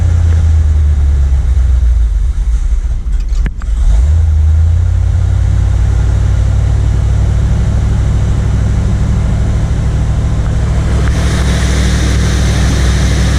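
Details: 1979 Corvette L82 carbureted V8, cold fast idle in neutral after a couple of throttle pumps on choke. Deep rumble dipping and climbing; surging idle. Smoke test found no vacuum leak; carburetor issue suspected; it stalled once the choke opened.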